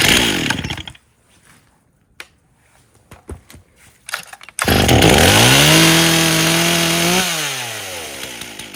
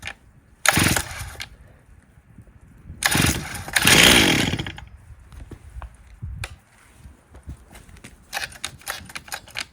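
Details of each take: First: 1998 Stihl 044 Magnum chainsaw, fully rebuilt, first test run with 25-inch bar, idle spec 2700 rpm: after clicks fires, revs briefly, settles to even steady idle without stumbling; idle acceptable though starting was hard, carburetor suspected. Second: 1998 Stihl 044 Magnum chainsaw, fully rebuilt, first test run with 25-inch bar and oversized clutch: repeated cord pulls, fires, revs briefly, dies; starts too hard, owner suspects carburetor needs setting.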